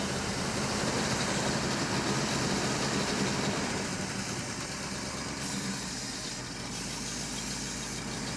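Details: Ranger truck after fuel pumped into carburetor: steady, even idle with smooth low rumble, no misses, knocks or hunting; starter suspected loose, vacuum leak and compression checks planned.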